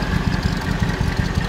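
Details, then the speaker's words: Mercedes 500 SL AMG US model, check engine light on, after two new ignition coils fitted: deep idle with irregular stumbling pulse and missing beats, not running on all cylinders; owner suspects catalytic converter, compression check planned. "ihr seht ihr hört das auch ne sind Aussetzer er läuft nicht auf allen Zylindern"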